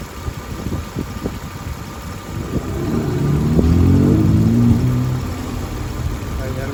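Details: 1998 Toyota 4Runner with a flashing check engine light and a misfire on cylinders 1 and 4, which share a coil; the coil was swapped and tested before the injectors were replaced. Uneven, loping, stumbling idle at about four beats per second: misfire at idle.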